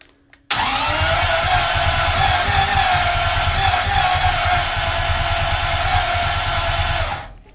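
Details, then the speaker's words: 1939 Buick coupe with newly installed engine, new headers, fuel lines and ignition: starter cranks at a steady chugging beat for several seconds without firing; owner suspects low compression, dirty plugs and ignition timing. "right, was about the closest I got to get the engine fired up."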